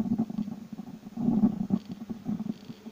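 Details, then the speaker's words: Labtec speaker with volume/power control: irregular raspy crackling bursts when the cable is moved; resoldering the dual potentiometer did not help and board joints were fine; broken conductor where the lead enters the speaker, cured by cutting that section off. "Такое впечатление, что именно в проводе, когда его шевелишь, он хрипит."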